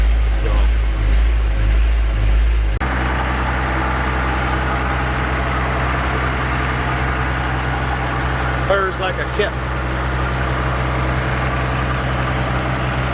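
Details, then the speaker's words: Tractor diesel idling with rise-and-fall surging, briefly steadied by AC load; attributed to a worn governor spring, or worn O-rings on the spring shaft, inside the injection pump. "you guys hear that surging i tell you just what that is inside of the inside of the fuel pump there's either a a spring that is wearing out and the governor is surging like that"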